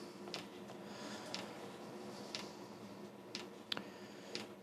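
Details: Diesel heater on bench, fuel pump pumping, glow plug drawing eight amps, white smoke from exhaust: faint steady tick about once a second from fuel pump over low fan hum, no burner roar; heater not lighting yet.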